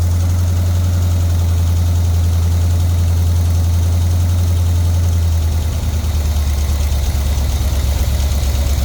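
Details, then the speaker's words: Pink Jeep engine idling while tuning idle and timing, suspected vacuum leak: deep uneven idle with quick tapping tick and puffing leak; lifter noise plus exhaust leak, valve covers to come off for valve job. "You have an exhaust leak. Oh, yeah. And you can hear a rackety tacky tack of the lifter."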